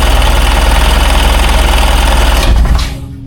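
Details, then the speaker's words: 2001 Sea-Doo 3-up jet ski, previously non-running, cranking on a jump box with choke and fresh fuel; steady rapid starter chugging about 3.5 times a second that never catches and slows as the jump box likely runs out of charge. "Lost the jump box I got. Yep. This thing's probably running out of juice."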